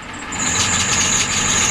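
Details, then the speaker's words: Ford 7.3L diesel cold start at about 50°F with half throttle: steady high-pitched shriek over the engine without wavering; swollen accessory belts slipping on the pulleys. "Yeah, the belts are squealing. Hear that? Yep. That's the problem."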